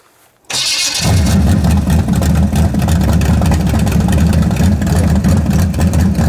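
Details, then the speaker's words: V8: fires into a loud, lumpy, uneven burble that stumbles when revved; lean spot as the mechanical fuel pump can't keep the float bowl full and it runs out of pump shot, electric pump planned. "so you're gonna start to rev it empties a ball and it started if you can hear the lean spot where she's running out of pump shot"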